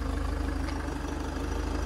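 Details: 2015 Land Rover Discovery Sport manual, stolen-recovered crash-damaged salvage car, bought as non-starter, now running: low, even diesel idle with steady pulsing beat, no knocks or rattles; idles normally.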